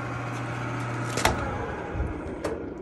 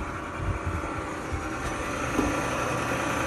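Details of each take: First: Frigidaire gas dryer picked up from the curb, started: steady motor hum while drum does not turn, motor spins freely with no resistance; broken drive belt. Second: Frigidaire gas dryer after repair (broken drum belt replaced): steady, even motor hum with a soft drum rumble and no squeal, thump or scrape; the drum spins quietly and smoothly.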